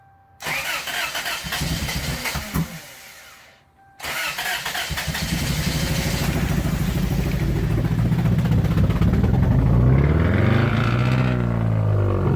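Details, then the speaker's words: 1992 Toyota Corolla after cylinder head work and reassembly, muffler removed, owner says timing set correctly: fires after short crank, runs loud and ragged, kept alive only with heavy throttle, won't idle; cause undiagnosed. "He took the muffler off. But it shouldn't sound like that. And how are you able to keep it idling at all right now? Just foot."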